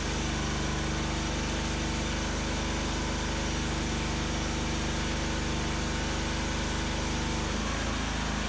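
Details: Homemade firewood processor's small petrol engine runs steady and even, note dipping briefly as the newly plumbed hydraulic pump takes load during the splitter test, about 7-second full cycle; healthy running.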